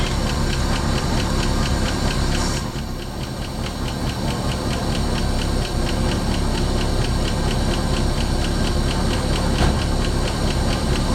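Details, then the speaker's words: 1968 Ford Mustang V8 after reconnecting coil wire, first run in about 20 years parked: steady idle with a light, even valvetrain tick on top, running smoothly with no misses; normal idle. "dig it guys it's freaking idling wow man that's awesome I haven't heard my car running 20 years she sounds good too"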